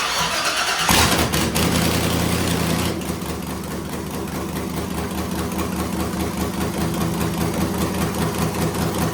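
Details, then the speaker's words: 1978 Jeep J10 desert race truck with LY6 LS V8 after cam swap, VVT delete and pushrod correction, first start: quick crank, loud catch, lumpy but steady even idle, strong exhaust, no ticks or knocks; runs healthy, louder than before. "Sounds good to me. Nice. That's pretty freaking loud. Louder than before, right?"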